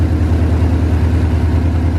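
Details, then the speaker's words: 2018 Mustang GT Gen 3 Coyote V8 at first start after installing Comp stage 2 NSR cams, oil pump gear and cam/crank parts: loud, deep, even idle with a lumpy pulse and no ticking or knocking. The valvetrain sounds healthy. "Sounds good up here. Hey, no ticking, no knocking. That's good, right?"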